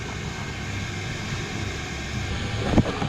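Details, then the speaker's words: Oil boiler relit following a lockout from air in the oil line and running 5–10 minutes: steady, even low roar with no pulsing, surging or cutting out; the burner is operating normally. "I'm happy with this boiler. It's been running 5 or 10 minutes or so."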